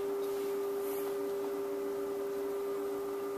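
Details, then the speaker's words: Kustom K200a (J595) speaker cabinet found with back screws out, drivers feared blown: clean, steady mid-pitched high-frequency test tone from an audio generator at low volume in both speakers, no buzz or rattle. Drivers work. "That's cool. That's really high frequency. This should be really low frequency."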